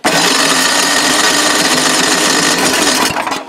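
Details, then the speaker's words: Old Craftsman snowblower, primed three times, choke turned down then back up: electric starter whirs steadily about three seconds without firing; won't start, later traced to carburetor. "right put the choke all the way back up hmm mystery why isn't it starting now"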